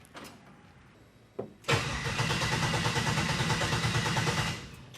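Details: 1967 Chevrolet C10 after transmission swap: starter turns engine steadily about three seconds, never catches; owner suspects spark/fuel signal disrupted, will check injector voltage: crank, no start.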